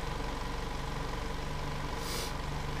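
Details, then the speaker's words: 2014 VW Jetta 2.0L, extended crank, raw fuel smell, rich smoky exhaust; steady idle with faint uneven stumble, misfire counter only on cylinder 2 (P0302), caused by a leaking fuel injector. "car started up extended crank misfire counter on cylinder 2 no other cylinders"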